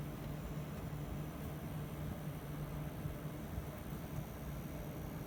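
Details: Gigabyte GTX 1070 G1 graphics card, which also has coil whine and came back from RMA unrepaired: steady airy whoosh with a low hum underneath and no speed change. The fan is noisier than it should be.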